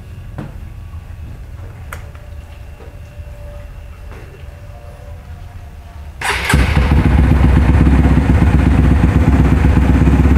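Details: Modified Honda CRF150L bored up with a forged piston, reamed throttle body, TPS, camshaft, valves and springs: it fires at once and settles into a steady, even thump around four beats a second, described as smooth and normal.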